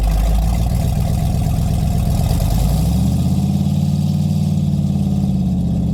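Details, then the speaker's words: Rotted Chevy Squarebody truck with a 454 big-block V8, started on jumper cables with the fuel pump switch on, running a deep, steady, even rumble with no knock. It sounds good, though a hydraulic fluid drip is increasing; normal running. "with how much that drips picking up I don't really want to keep running it she sounds good"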